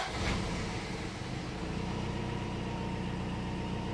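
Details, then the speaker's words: Toyota truck that had been sitting, now running on fresh fuel: steady, even idle with a smooth low rumble and no knocks or misses; it runs much better with the fresh fuel and the idle has come up. "Oh, it runs so much better with fresh fuel. All right, so idles up."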